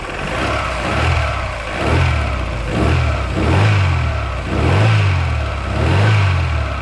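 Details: Daewoo Lanos engine, knock said louder when hot than cold: revved roughly once a second, a dull knock rides each rev rise; crankshaft knock suspected, not confirmed.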